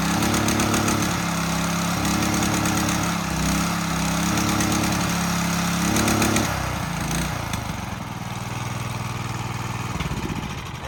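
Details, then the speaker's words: Mud Buddy Mini 16 hp mud motor on duck boat, marketplace find: small single-cylinder fires up and runs with an even, steady beat, then settles to a lower pace; sounds healthy. "yeah, that motor sounds good."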